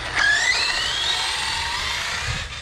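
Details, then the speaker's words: Arrma Outcast 6S RC truck with road-crusher tyres, bashing just after being returned to running: high motor whine sweeping up with speed over a rough, gritty driveline rasp; owner suspects a crunchy centre diff needing replacement, not confirmed. "I hear a crunchy deer. It's all good, we'll change it. That thing got some crunchy dip. Yeah, that's in a dip. It's crunchy."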